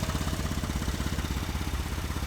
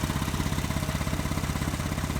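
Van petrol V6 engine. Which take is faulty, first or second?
second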